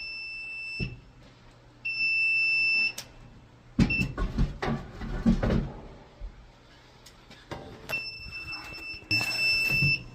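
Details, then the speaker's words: Apartment fire alarm panel before backup battery replacement: high-pitched beeps, some short and some about a second long, come between clicks and handling. This is the power-trouble warning from failing batteries with a nearly corroded terminal. "So, I think I'm going to replace the batteries. [Music] Power trouble."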